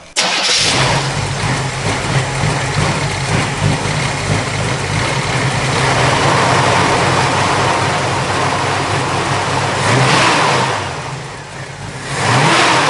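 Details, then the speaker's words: 1963 Chevrolet Nova convertible, non-original 350 cid small-block Chevy V8 with Edelbrock intake and center-dump exhaust manifolds: brief crank, clean catch, steady even idle and two crisp blips; stout, healthy engine. "It is a 350 cubic inch small block Chevy. Very stout running motor, very good sounding motor, which you'll hear that later in the video here also."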